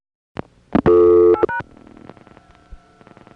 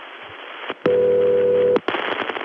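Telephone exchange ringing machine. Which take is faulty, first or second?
second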